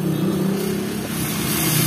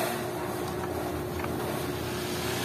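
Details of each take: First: Astron mini desk electric fan, bought a day or two earlier: loud, steady low hum and buzz with strong vibration, still shaking when held; caused by out-of-balance fan blade. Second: Two-day-old Astron mini desk electric fan, previously vibrating badly and walking on the floor, after blade alignment: steady, even whoosh and low motor hum, no rattling or knocking: normal fan operation.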